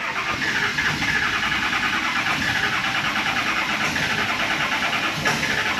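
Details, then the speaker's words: Early-2000s Ford F250 Super Duty, 7.3 Power Stroke diesel, about 400,000 miles, in for crank no start, suspected fuel prime problem: harsh uneven rattling run on starting fluid, never settles, won't run on its own. "That didn't sound good."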